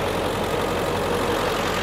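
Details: 2003 Ford Excursion Limited, 7.3L Powerstroke diesel, idling: a steady, even diesel clatter with no stumbles or odd knocks, and no smoke. A healthy idle.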